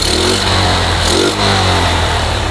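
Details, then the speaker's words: Yamaha Jupiter MX that kept stalling after an engine rebuild, carburetor and vacuum faults, fitted with a replacement RX Special carburetor: starts straight up and holds a steady, even note with a smooth blip of revs; normal start and revving. "lanjut kita proses tes penghidupan Maaf on contact nya terlebih dahulu nah normal ya Langsung hidup"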